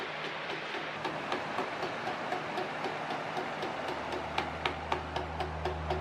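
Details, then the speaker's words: Pedestal fan oscillation not working properly: steady fan hum with sharp plastic click three or four times a second; plastic oscillation gears suspected skipping against each other, so oscillation movement fails. "من فکر می کنم باید این چرخ دنده ها باشد آنها علیه یکدیگر اسکیت می کنند زیرا آنها پلاستیکی هستند"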